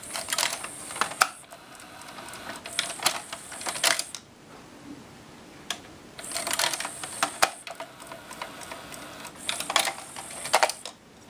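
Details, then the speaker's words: Pioneer PD-M702 six-disc changer working after repair (the laser rail had been missing its focusing lens): the carriage moves between discs in short bursts of motor whirring and clicks, smooth with no binding or grinding. "I kind of like this about the dis changer the whole thing moves if you go to like another disc the whole Carriage moves watch"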